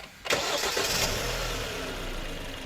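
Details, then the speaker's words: Engine after repair of piston-slap knock and heavy oil burning caused by excessive cylinder clearance, repaired without an overhaul: first start gives a short crank, then a clean catch and smooth, even idle with no knocks or ticks. "发动机完美启动，我们一起来听一下声音。完美解决此故障。"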